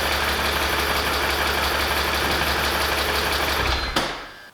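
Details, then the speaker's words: BMW Z4 after oil change, cooling system empty: light quick tick about four a second over steady idle; ticking persists after oil change, cause unknown. "uh I still hear it ticking sound so I'm not sure we just need to give her a drive"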